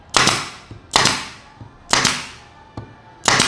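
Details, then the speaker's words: Pneumatic nail gun driving 3 cm F30 nails into kayu jati Belanda at 3 bar set via the air filter regulator: crisp shots with a clean exhaust hiss, smooth and optimal at the recommended pressure. "dia udah optimal sekali ya, dan suaranya juga enak, halus, karena dia udah sesuai dengan anjuran tekanan angin yang dari mesin paku tembak ini."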